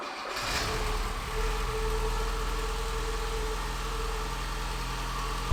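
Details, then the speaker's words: Porsche with a replacement 2.0 Audi engine swapped in, with new timing belt, new alternator belt, checked valve clearances and a new front seal: it catches at once and settles into a smooth, even drone with no knocks or misses. Normal start and run. "okay so around 5800 rpm later I think it's safe to say this thing runs for now"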